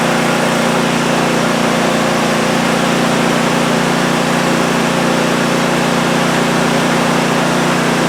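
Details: Cub Cadet ZT1 zero-turn mower that would crank but not start, after repair: steady, even engine drone with constant pitch and no misses or knocks; engine starts and runs smoothly.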